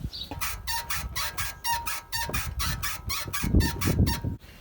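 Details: BMW 3 Series E90, rear floating suspension bushing (silent block), before oil-syringe lubrication: rhythmic high squeaks, about two a second, each time the body is rocked; dry rear bushing squeaking, needs lubricating.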